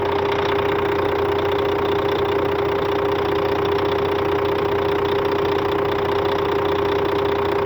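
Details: Scania K400 bus, DC13 13-litre 400 hp (at 1900 rpm) diesel at normal operating temperature, customer-reported strange noise: steady idle with a constant mid-pitched whine over a faint regular tick, two or three a second; abnormal, source unclear.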